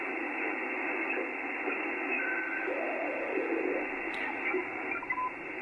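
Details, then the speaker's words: HF receiver on 80 meters, no preamp or attenuation, all shack earthing disconnected, antenna not resonant on this band: soft, steady hiss with no crackle, buzz or pulsing interference; the band's noise floor is low and clean. "relatively quiet as the antennas not sir resonant scuttle eighty meters"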